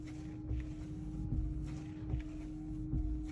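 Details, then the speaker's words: Car windshield wiper after fix: twisted frame bent level with a screwdriver so it sits flat on the glass, blade refitted; low steady motor hum, soft even sweeps about every 1.5 seconds, no chatter or squeak; normal wiper operation. "देखो कोई भी noise नहीं है, तो फालतू"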